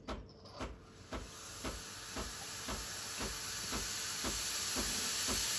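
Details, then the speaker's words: Breville Infuser BES840 steam wand in the seconds after switching on steam: pump pulsing about twice a second under a hiss that grows louder over about 5 seconds; normal steam pressure build-up. "When you hear the pump pulsating or pumping, that means the steam pressure has started. And then it gets a little bit stronger over the course of the next 5 seconds."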